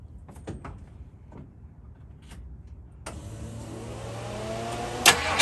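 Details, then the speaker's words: Mustang with an old 302 V8, restarted and reprimed after a fuel filter change with a fuel pressure gauge fitted, about 3.5–4 PSI at idle and about 5 PSI on rev (owner plans to adjust): clicks, then an even idle and a clean rev; runs fine. "Wow, we're only running like 4 PSI. Yeah, that's gonna get adjusted. I'll go ahead and rev but it does go up to about 5 PSI, and it likes to hang out around 3.5, 4 PSI, which if the car's happy, I'm happy."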